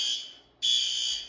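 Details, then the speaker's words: Fire alarm horn on a roughly 30-year-old demo-board panel whose notification (bell) circuit power supply is worn: high shrill blasts whose tone sags and fades instead of stopping dead, as power isn't cut cleanly. "and if you heard that, you see how it kind of doesn't cut the power cleanly. So once again, old panel."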